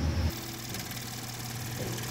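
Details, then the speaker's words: 2012 Ford F-150 3.5L EcoBoost idling after sliding into a ditch; no power, won't exceed 35 mph, codes P0087, P0174 and P053F. Slightly uneven, lumpy idle with faint ticking; failed high-pressure fuel pump, rail pressure well below the desired 245 psi. "what's happening is we've got two failed high pressure fuel pump you can see that at idle here we want about 245 psi on our fuel pressure"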